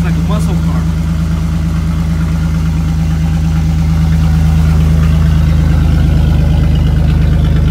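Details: 1999 Chevy S10, 4.3L V6 automatic, idling after the rear catalytic converter (of two) was sawed off by thieves: deep, loud, throaty rumble with strong low drone, exhaust open ahead of the muffler.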